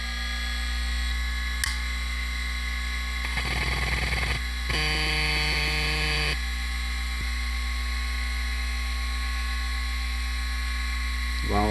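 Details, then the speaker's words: Seagate 1GB SCSI hard drive on an Adaptec AHA-1542CF, device ID 1 with a 16-second delayed spin-up: a steady high motor whine, a few seconds of quick chattering head seeks, then it settles; normal spin-up, drive seems to work. "I think this drive may actually work."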